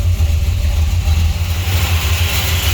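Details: 1968 Chrysler Newport Custom with a new Holley Sniper EFI, oil pan just redone, first start since 2013, oil pressure up. A deep, steady idle with an even low throb and no miss, knock or tick: a normal idle.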